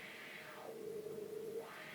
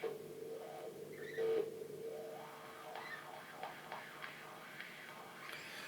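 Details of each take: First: Wah pedal after repair by adjusting the pot wiper to press more firmly: a hissy wah tone sweeps smoothly down to a low hum and back up, with no scratchy or crackling static. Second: Wah pedal pot swept through an amp after contact-cleaner treatment: hiss, steady hum and a few faint crackles remain; the potentiometer is still a little scratchy but better.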